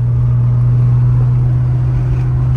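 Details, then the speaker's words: VW MK1 GTI Rabbit with VR6 swap, new Walbro 255 inline fuel pump setup, catalytic converter fitted, shakedown drive in fifth gear: smooth, deep, even drone holding steady, not obnoxious, no popping or backfire; normal running under way. "car is running great you can see it's quiet come on fifth gear you don't even hear the exhaust I mean you hear it but it's not obnoxious"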